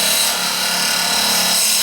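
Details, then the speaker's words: Turning an ash/maple segmented bowl with an epoxy resin groove on a lathe at high speed with glue-hub and tailstock support; a non-acrylic tool hitting the resin gives a harsh dry scraping rasp as it chips instead of cutting cleanly. "Yeah, it's starting to chip. You hear that sound, it's chipping."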